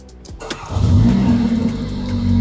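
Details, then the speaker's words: Mercedes GLA 45 after fuel pump replacement for stalling while driving: short crank, then the engine catches quickly and settles into a steady, even idle. Fuel pressure stays within spec; stalling fixed. "kita start, dia punya fuel pressure, ni fuel pressure daripada fuel pump belakang dia maintain."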